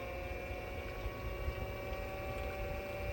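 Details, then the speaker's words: Aquastrong 3 hp variable-speed pool pump on speed 2 at 2,000 RPM drawing 360 watts: smooth, even motor hum with a steady tone, slightly louder than speed 1, no knocks or grinding; normal medium-speed running. "This is going to be 2,000 RPM, consuming only 360 watts."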